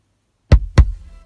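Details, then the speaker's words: New Joying car head unit: silence, then two loud deep thumps a quarter second apart fading into faint hum when switching source or track; unit pops the speakers, cause unknown. "can you please help me with this sound because it is very annoying and it's very loud"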